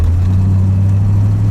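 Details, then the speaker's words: Modified 1977 Corvette with a supercharger and a secondary carb, revived after six years without running, driving on the road with a throttle blip. Deep, even V8 drone pulls steadily with road noise and no knocks or misfires; sounds healthy. "Goose it a little bit here. Hopefully you could hear that supercharger. It sounded good."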